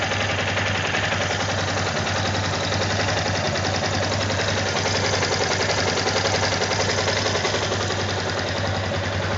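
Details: Brand-new Yamaha Tenere 250, less than a month old: a fast, fairly even ticking rattle, about three or four per second, over a steady single-cylinder idle. Owner unsure whether it is normal; cause not yet found. Engine ticking at idle.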